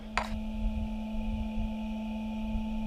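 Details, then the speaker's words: Headlight Experts LED headlight bulb with CANbus for a 2012 Ram, just switched on: the bulb's small cooling fan makes a steady, fixed-pitch whine over a low rumble, having wound up over about a minute like a jet spooling; normal. "Can you hear that noise? it is slowly wound up over a minute. It sounds like a jet engine spooling up."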